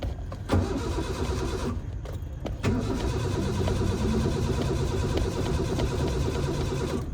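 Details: Car that has not started for a week: long steady cranking with low churning rhythm and brief pauses, engine never catches; crank, no start.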